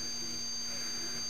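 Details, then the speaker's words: 1974 Zenith Avanti E4760 tube TV after replacing all 22-5001 safety capacitors: faint low video hum under steady high-pitched flyback tones; goes away in service mode except main transformer hum; voltages good (24V at 23.5, B+ 125), cause unknown, possibly age. "But then you get back, almost sounds like a little video hum."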